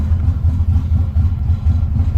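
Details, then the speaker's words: Nissan Z31 drift build at idle, then blipped: low, lumpy idle that surges and dips irregularly and sputters when given gas, though it runs fine at high revs. Intake air leak. "see if we give it some gas it's gonna sputter and this is the main issue I'm having with that air leak that's pretty bad too so we'll get that pick"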